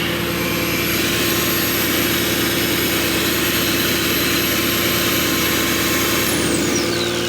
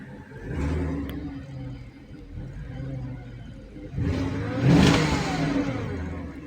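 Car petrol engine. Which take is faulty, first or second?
first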